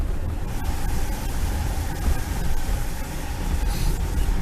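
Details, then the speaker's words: Jaguar XJ Executive on a test drive: heavy road rumble with occasional sharp clunks from the driver's-side front suspension over bumps. "you can hear that clunking for that driver sighs front suspension"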